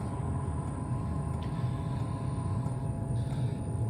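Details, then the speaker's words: DWALE Chinese diesel heater warming up after power-on: constant low roar of the combustion fan with a faint steady whine, fuel pump clicking quietly, heat exchanger running, exhaust smoky until hot; no rattles or surging, normal operation. "But now we're hearing the heat exchanger run. I'm hearing the fan kicking on. I'm hearing the fuel pump clicking."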